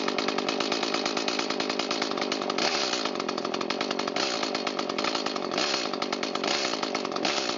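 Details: New Echo CS-310 chainsaw after carburetor idle mixture adjustment, at idle and full throttle: crisp two-stroke buzz snapping cleanly up on quick blips and dropping straight back to a steady idle; normal.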